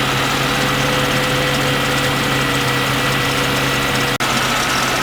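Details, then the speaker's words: A thin steady squeal rides over an even warm idle. It stops when WD-40 is sprayed on the belt, and the fresh belt has no cracks, so the belt tensioner is blamed. Serpentine belt noise. "starts right up and there's that noise and there's that belt tensioner"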